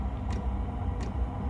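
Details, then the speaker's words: Chinese diesel air heater on red diesel, unused four to five months, failed first start attempt: low steady rumble builds and holds with soft periodic puffs as the burner lights and fires evenly; normal combustion. "you go the furnace is kicking up there can you hear that"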